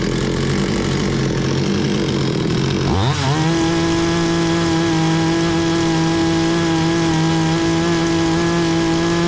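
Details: Bolat 5820 chainsaw, brought in stalling, after air filter cleaning and stop switch repair: revs up cleanly, then holds a steady high buzzing tone without stumbling; running normally.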